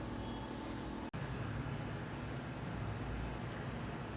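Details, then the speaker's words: Samsung AR18AY5YATZ air conditioner outdoor unit at night, phone one step away, compressor on: even low hum with light hiss, slightly loud but not much, no knocks, rattles or squeal; normal compressor running. "And this is the sound when the compressor is on. Right now my compressor is on. You can hear the sound is a little bit high, but not that much high."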